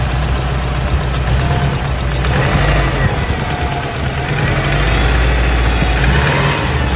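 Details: Subaru WRX JDM EJ205 flat-four at idle: lumpy idle with uneven knock underneath, busier with a rev blip; owner unsure whether rod knock, piston slap or timing belt tensioner.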